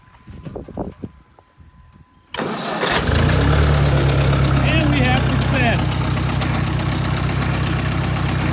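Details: Ford 600 tractor after replacing ignition coil (old points and condenser still fitted): short crank, catches right away and settles into a steady, even idle with no misses; normal start and idle.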